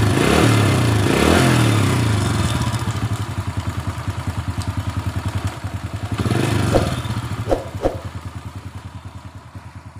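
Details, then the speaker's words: 2007 Honda Supra Fit New after repair of clattering noise around cylinder head, likely cam chain, with oil refilled; small single settles into even, steady putter at idle, about three beats a second, no clatter or ticking. "Selanjutnya kita hidupkan. Ya, suaranya sudah halus."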